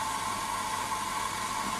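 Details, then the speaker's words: Jensen 35 model toy steam engine, gas-fired burner heating boiler as it comes up to boil; steady even hissing roar with slight mid-pitch whistle, no pops or flutter; normal burner operation. "uh it's gas fired and see there you just see the flame it will run off and inflated Spirits burning as well but uh these little gas burners from BS are just so easy I can hear it coming up to boil"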